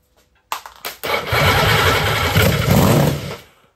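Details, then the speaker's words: Norton Nemesis 1500cc fuel-injected V8, rebuilt, first bench test with fuel put in the inlet ports: a couple of cranking coughs, then a rough, throaty run for about two seconds; it fires and runs. "Well, there we go. It burst into life. I am so pleased. That sounds very promising."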